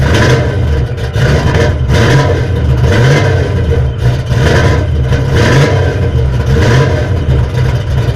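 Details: 1979 Chevrolet Malibu after replacing the flexplate (new 168-tooth, internally balanced), damaged by a broken starter support: engine fires and runs strong with even rev blips, no starter grinding or clashing; normal start and run.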